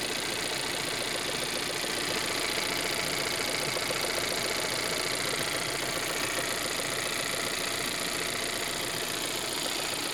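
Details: Volvo 1.5 T3 at idle: crisp regular knock about two and a half times a second over a light steady idle; cause unknown.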